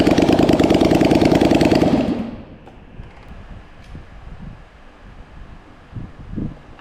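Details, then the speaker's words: Polaris Sportsman 850 XP bull catcher that had sat for years, revived: even, steady firing at a quick idle for about two seconds before shutting off, with no knocks or misses; runs normally. "well that's actually very surprising they both run"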